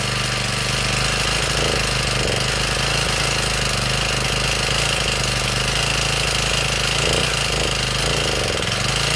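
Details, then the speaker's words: Honda GX35 grass trimmer engine, before valve adjustment: high revs with a sharp, busy metallic clatter from the valve cover; exhaust valve clearance out of spec (should be 0.13 mm), and the engine is worn. "ครับได้ยินเสียงมั้ยครับเสียงดังแบดีกก็มันก็จะดังอยู่22เคสนะครับดังแหวนกับดังวาล์วนะครับเสียงลักษณะมันแก๊กๆๆๆๆๆๆดังแบบว่าเสียงกราวกับเสียงมันดังแบบไงล่ะครับ"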